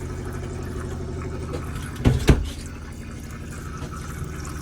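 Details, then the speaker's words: Majestic 105 caravan water system, inline pressure pump: low steady pump hum, water rushing and a couple of clunks as the tap opens while the boiler fills with more water; system working normally. "So the boiler just filling up with a bit more water basically is what that's doing."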